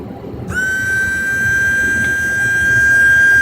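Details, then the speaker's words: New windshield washer pump for a Mercury Villager, bench-tested on a 12-volt source before installation: snaps on into a clean, steady high whine at constant pitch, no rattle or labouring; motor and impeller working, pushing air. "It is pushing out air, which is what it's supposed to. So the little motor is working, the impeller is turning, and this thing's ready to be installed, which is what I'm going to do tomorrow."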